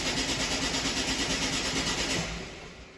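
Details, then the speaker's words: 2011 Ford Focus 1.6 diesel with an intermittent crank no start, acting up now, no fault codes stored: starter cranks evenly about three turns a second for two seconds, then stops without the engine catching. "and that is a crank no start."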